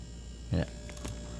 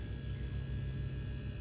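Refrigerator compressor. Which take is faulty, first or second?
first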